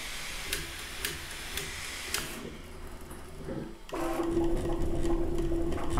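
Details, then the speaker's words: Bambu Lab A1 Combo 3D printer running its first print after auto-calibration and flow calibration; regular light clicks then busy stepper whine and chatter on fast moves, fans and movements not very loud despite speed; normal printing. "right so it's printing now and it's going crazy literally so yeah it's on a roll it's not too crazy loud for how fast it's sprinting"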